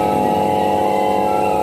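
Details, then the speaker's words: Crompton High Flo table fan after bush and bracket change for slow running and noise, on third speed: smooth, even hum at steady pitch, no rattle or wobble; normal running. "ஸ்மூத்தா ஓடுது. அடுத்தது third speed. இப்ப நமக்கு அருமையா ஓட ஆரம்பிச்சிருச்சு."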